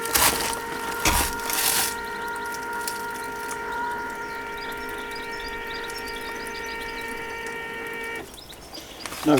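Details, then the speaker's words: Land Rover Discovery 2 Td5, 251,000 km, after fuel line repairs: steady electric hum with thin whine for about six seconds as the lift pump fills the filter and primes, then cuts out cleanly on timing out; priming normal. "so that's the sound of the fuel filling the filter and priming the system right it's timed out so I'm going to give it another shot by depressing the accelerator pedal fully and up five times"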